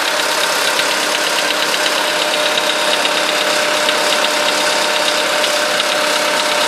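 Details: VW Polo sedan at 13,000 km mileage, with the knock appearing right after the first scheduled service. A steady idle carries a fast, fairly regular, light metallic ticking like valve tap; cause unclear. Ticking at idle.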